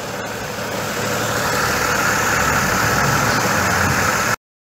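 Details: 2005 GMC Envoy 4.2 inline-six after new ignition coil fitted and starter motor serviced: steady, even idle with no stumble or skipped beats; misfire gone.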